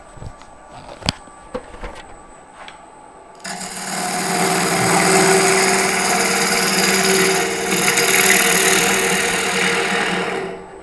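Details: Steady, even hiss of a bowl gouge cutting very hard wood on a lathe at about 1000 rpm after the blank was trued symmetrical, no thump or wobble; normal running.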